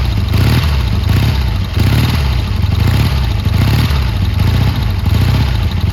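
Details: Triumph T140 twin after new carbs fitted and an intake air leak sealed with extra clamps: deep, steady beat with gentle rhythmic rev swells and no misses or pops, crisp and even. Running normally.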